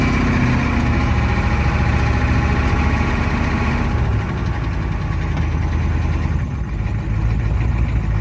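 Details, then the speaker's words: 1987 Ford F-350 IDI diesel, started after sitting 8 months, battery charged an hour and ether used: deep, steady clatter at idle with even rhythm and no stumbling. Normal diesel idle. "It's running. That really didn't take much effort. Hell yeah."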